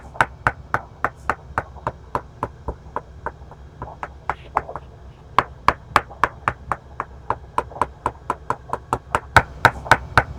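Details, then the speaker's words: 1990 Hans Christian 48T fiberglass sailboat, 35 years old, hull tap test. Rapid hand taps mostly ring sharply; a few fall flat and dull (thud, no echo), marking delamination. Signs of osmosis were found. "Here we are tapping the hall to find delamination. Listen closely for when the tap becomes a thud."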